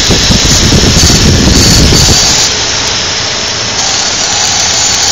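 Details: 2002 Infiniti QX4 cold-weather idle: loud hiss and squeal with fast pulsing rattle about three per second that fades; intermittent, lasts about 10 minutes after startup, source unknown.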